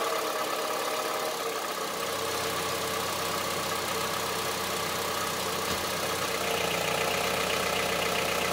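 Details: Honda CR-V III 2.4 petrol engine idling with a hard, diesel-like clatter of fairly quick, somewhat uneven knocks; engine knock at idle, cause not identified.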